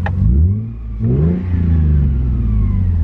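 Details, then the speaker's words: Lexus IS300 revved with and without the clutch pressed, heard from inside: the engine blips up and settles with a faint thin whine rising with revs, like a small supercharger, owner suspects the clutch area; engine otherwise healthy. "kind of like a little like the little sound from the clutch I don't know if you guys can hear it it sounds like a little zoom like a little supercharger"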